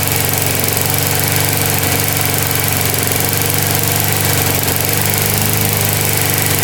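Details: Older Briggs & Stratton 3.5–4.5 hp lawnmower engine with carburetor on the metal tank, after diaphragm replacement and cleaning: steady, even single-cylinder putter with no surging or misses, running normally.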